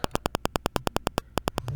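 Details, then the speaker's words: Razer Seiren X microphone recording near a laptop: sharp, evenly spaced crackling buzz, about ten pulses a second, from a wireless adapter's interference; it stops when the adapter is disabled and returns when re-enabled. "now you can hear with a cracking sound I will disable this device now the problem is solved and the cracking sound is gone"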